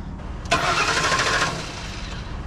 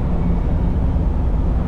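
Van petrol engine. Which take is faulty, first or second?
first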